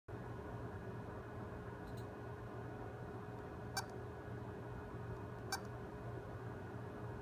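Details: Western Digital hard drive that came in for data recovery: a faint steady hum with short sharp beeps about every two seconds, the drive beeping and failing to spin up properly.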